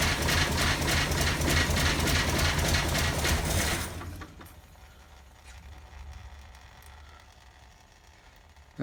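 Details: 1947 GMC engine on 6-volt battery, fuel poured in to start, oil leaking at oil filter can; catches and runs rough and loud about four seconds then dies abruptly; stalls shortly after starting, won't idle.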